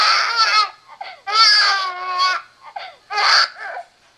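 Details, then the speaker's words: RealCare Baby Think It Over G6 infant simulator doll, loud recorded wails in uneven bursts with pauses after the head was let go back too far, typically stopping after four to five minutes; head-support violation cry. "okay eventually the doll will stop crying it usually takes about four or five minutes sometimes a little longer sometimes a little less for the doll to stop crying after you let his head go back too far"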